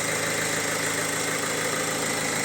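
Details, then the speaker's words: Opel Insignia, about 2020, 1.6 B16DTH diesel, 136,000 km, after timing chain repair, hot restart after 10-15 minutes standing, recorded indoors: smooth even diesel idle with no chain rattle or knock. "настолько приятный что телефон конечно же не передаёт полностью по звуку он искажает но очень приятно работает"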